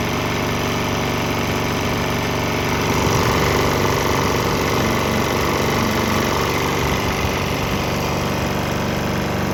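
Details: Swan X 165F Chinese single-cylinder diesel running 50-50 used motor oil and diesel: after earlier bucking and stumbling cleared on the transition, it thumps along at a steady even beat, no misses or knocks; normal running.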